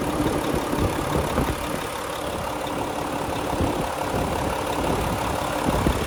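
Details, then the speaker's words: 2014 Volvo VNL64T300 day cab, D13 diesel, 13-speed manual, running with a check engine light present, idling at 700 rpm: steady even diesel clatter, no misses or heavy knocks; healthy smooth idle. "I'll let you have a listen to it running. It sounds good and healthy to me."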